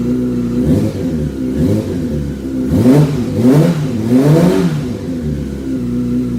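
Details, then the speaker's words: 2005 Yamaha R6 project bike being revved after first runs. Quick, clean, even blips with no knock or rattle. It sounds normal now though it is blowing oil smoke; it sounded terrible minutes earlier, and the owner wonders if something was loose. "it is burning oil you can see it but it's sounding okay and it sounded terrible earlier"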